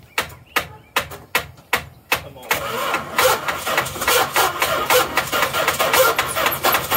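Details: 1985 Dodge D150 pickup under restoration, being cranked: slow, even starter pulses about two to three per second, then the engine rumbles unevenly trying to catch; intermittent cranking, bad starter suspected, not confirmed.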